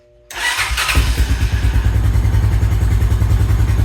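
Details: 2000 Honda Foreman 400 4x4 ATV, possibly old fuel and wasp nest in exhaust: starts after brief crank into a low lumpy idle, about three beats a second; owner suspects flooding, clogged exhaust or choke.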